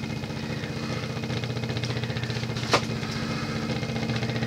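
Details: Late-1970s Emerson (Sears) 52-inch friction-drive ceiling fan, shaded-pole motor with rubber drive wheel on metal hub: steady fast rumbling flutter, constant hum, brief squeak and running knock; noisy friction drive.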